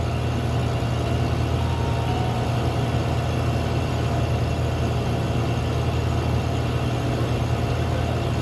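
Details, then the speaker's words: R-134a refrigeration compressor, restarted after wet-rag cooling, heavy load: strained low drone with coarse rumble; compressor running very hot, suction or discharge valves suspected. "but listen to the compressor sounds terrible so I need to gauge up on it see if the suction vals are bad discharges it's discharging it's hot as hell big load on"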